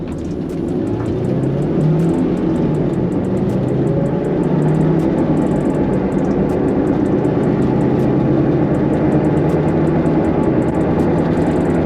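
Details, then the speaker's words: Honda S2000 at road speed right after replacing axles, hubs and wheel bearings, noise not fixed: loud, steady low droning roar swamping the cabin, like a plane about to take off. Wheel bearing roar. "holy [ __ ] it should sound like an airplane like we're on the runway about to take off this is driving me crazy"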